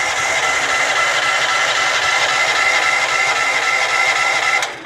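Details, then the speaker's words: Off-grid cabin generator, winterized with fuel stabilizer, new gas probably added: steady whirring crank about five seconds with no catch or firing, then winds down; cranks but will not start. "And it just spins and normally when the battery is charged, it just spins and spins and spins, right? Yeah, that's it."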